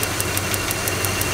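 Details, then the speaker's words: Engine with a stock single-point Chrysler ignition, stock coil and carbon wires, running: plug wire spark jumping about a third of an inch to ground via screwdriver gives sharp, evenly spaced snaps about six a second; strong, healthy spark. "Now, if you're dealing with a simple ignition system like this, you can hear that spark snapping."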